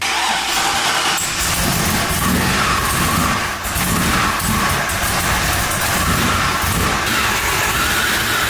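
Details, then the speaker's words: 2002 Chevrolet Silverado 1500HD V8 with Vortech V3 centrifugal supercharger kit, first start, untuned, no coolant: loping uneven cammed idle with steady high blower whine on top, likened to a tornado; rough cam idle with supercharger whine. "it that sounds like a tornado that's a sound of tornado I've ever heard"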